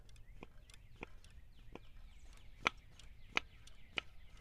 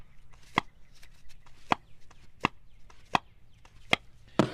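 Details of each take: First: Removed BMW M52 DISA valve, flap worked by hand: uneven clicks with a dry, scratchy crunch as it drags and sticks instead of snapping back; the owner suspects the return diaphragm in the end is crinkling, or a linkage fault, unconfirmed. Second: Shelf-spare BMW M52 DISA valve with a replaced O-ring, removed from the engine and its flap worked by hand: crisp single clacks under a second apart, each snapping back cleanly; the flap returns normally.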